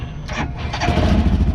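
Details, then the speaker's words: Dune vehicle after the double-fused relay was replaced with a regular relay: short crank, then it fires within a second and settles into an even, lumpy idle; starts cleanly. "she fires right up good to go"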